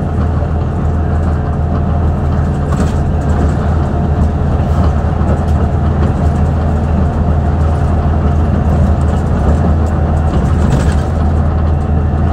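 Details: 2009 Mercedes-Benz CapaCity city bus, OM 457 hLA Euro 5 diesel (354 hp, 11,967 cc), ZF Ecomat 6 HP 602 C 6-speed automatic, ZF AV 132 rear axle, underway: deep diesel drone with a thin steady whine from the unusually noisy gearbox.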